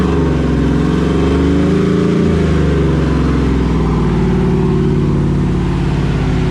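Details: Rebuilt 5.3 V8 with Texas Speed 224r cam, untuned, first run after rebuild: strong even rumble rising smoothly with throttle and settling back, no knocks, clanking or clatter; sound, healthy engine.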